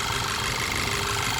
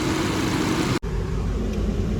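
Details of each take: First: Skoda Superb petrol with P0303 cylinder 3 misfire and ignition coil codes: shaking worse with AC on; with AC switched off the idle becomes completely smooth and even; cause found as a burnt spark plug and damaged piston. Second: Skoda Superb petrol engine idling with an uneven, lumpy beat, worse with AC on: cylinder 3 misfire (P0303) with ignition coil circuit codes P0352 and P0353.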